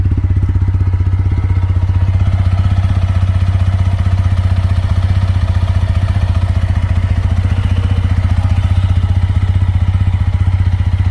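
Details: TVS Apache RTR 160 4V, about 12,986 km, after six months unused: even, steady single-cylinder idle with a crisp regular beat, no misses or rattles; normal idle.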